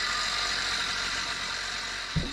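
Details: Old two-stroke tiller on 24:1 fuel mix, first start in about 10 years after cleaning the spark plug, plug a bit wet: steady buzz, no misses or knocks; running normally.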